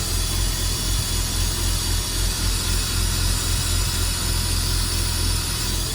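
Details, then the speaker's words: Porsche Boxster, cold start not finished, after MAP sensor replacement: uneven lumpy idle with wavering drone, worse with the new sensor, no check engine light, dies when revved; owner suspects the air-oil separator; rough idle. "this is the new one that I bought and it runs worse when I put this one in and there's no check engine light"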